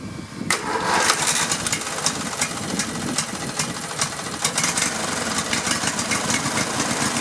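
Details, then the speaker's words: Riding lawn mower engine started on choke with the safety switch jumpered by a wire, fuel pushed through the filter and the kill wire not yet reconnected: it catches and settles into a steady, crisp, even run with no stumbling; it runs nice. "it and there we go oh it runs nice"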